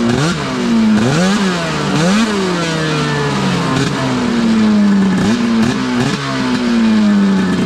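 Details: Arctic Cat F7 two-stroke snowmobile on stand after draining bad fuel and refilling with fresh mixed gas (oil confirmed in fuel), after earlier dying: crisp buzz with quick clean blips climbing and dropping smoothly, no stumble or misfire; healthy.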